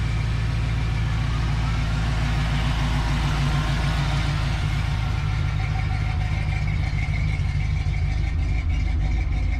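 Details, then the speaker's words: Foxbody Mustang believed to have no aftermarket camshaft: deep, loping, uneven choppy idle like a big cam, heard after an air leak was capped; cause not yet confirmed. "listen now as far as i know this car does not have a camshaft in it meaning it should not sound like this or at least i don't think it does"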